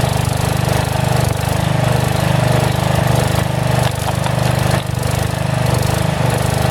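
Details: About 35-year-old log splitter refreshed with new pump, valve, filter, rebuilt cylinder and hoses, swapped-in 12HP single-cylinder engine: loud low beat dipping and recovering several times; governor hunts a little, owner suspects carburetor needs adjustment.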